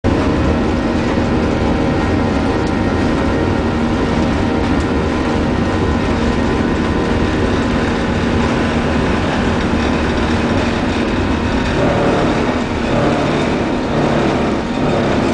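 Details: American Airlines 737-800 takeoff from MIA, heard in the cabin: loud steady takeoff roar, then an uneven, unexplained grinding growl rises near the end, around 11 seconds.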